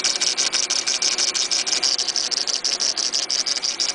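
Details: Mitsubishi Eclipse GS (DSM, 420A engine) at idle: fast shrill chirping rattle about three times a second, first thought timing belt; confirmed failing AC compressor.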